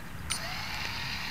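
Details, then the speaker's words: Quadcopter after a crash that broke all four props and bent the controller board: brief even high whir of motors spinning up, no grinding or stutter; all four motors work. "all four motors are working i think we're gonna be okay"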